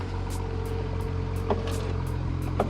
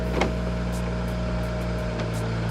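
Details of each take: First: BMW 335i E90, 158,000 miles, engine idling: irregular snapping and cracking clicks as the rear window runs, from a broken rear window regulator after the window got stuck at the top. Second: 2008 BMW 335i (E90), 158,000 miles, all windows being rolled down: a smooth, constant window-motor hum through the whole travel with no grinding, clicking or slowing. This power window works normally.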